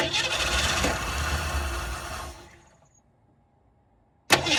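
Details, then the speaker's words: 1967 Ford Mustang (302 V8) sitting since 2008 fires on poured fuel, roaring about two seconds, fading, then firing again; pump not delivering fuel. Fuel starvation. "Still not pumping any fuel. So, that stinks."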